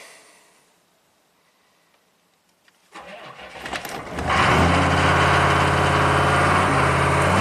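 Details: 1995 Chevy K3500 6.5 turbo diesel, 160,000 miles, hard to start then revs uncontrolled without accelerator; new pedal and pump driver module didn't fix it, testing alternate modules with coolant temp sensor unplugged: cranks, catches, climbs to high steady runaway rev.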